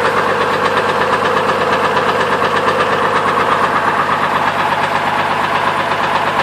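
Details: 2002 Trailblazer idling with a steady deep knock about three times a second, still present with the belt removed, ruling out the water pump and other belt-driven parts; rod knock.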